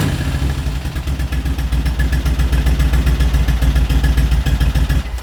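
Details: 1980 Moto Guzzi Le Mans Mk2 850cc V-twin, restored, about 20,600 miles, just started on a little choke: even, loping twin beat of about 3–4 firings a second, deep exhaust, no knocks or rattles. Normal idle.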